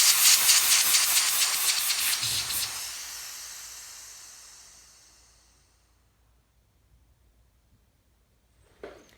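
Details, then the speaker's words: Loud high-pitched nitrogen hiss fading over about five seconds as pressure bleeds down to ambient, during a test with a BluVac unit. "And so right now, you can hear the pressure coming out."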